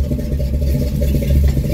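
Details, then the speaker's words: Warmed-up 1972 Chevy truck on air suspension fires right up and holds a deep, even rumble at idle with no ticks, knocks or stumbles; the engine runs smoothly. "so from here if it's cold pump the the gas pedal twice but it's warmed up already so fires right up this truck runs cherry"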